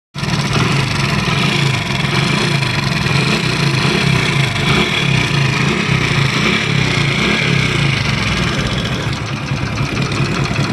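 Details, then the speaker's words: Honda Pridor (2022 model) motorcycle idling: busy metallic chatter over the firing beat that stays steady, pointing to timing chain rattle; the engine is making a lot of noise. "दोस्तों ये आवाज़ सुन रहे हैं किस तरह इंजन में से आवाज़ आ रही है, कितनी सारी आवाज़ है।"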